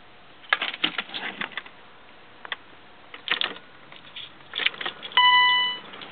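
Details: 1994 BMW E36 318is that won't start although the battery has power: bursts of quick, irregular clicks from inside the car while the dash lights blink on and off, no cranking, a short tone at the end; cause unknown.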